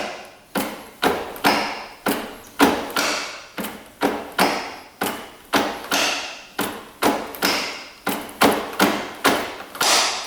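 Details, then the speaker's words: 1996 Kawasaki KX250 two-stroke that shut off while riding, engine turned over by hand in fifth gear: slow hollow clunk each turn, hard metal knock; sounds like rod or piston hitting the cylinder. "Huh. Almost sounds like the rod is knocking the cylinder. Almost like the pistons out of it is what it sounds like, but I know it's not."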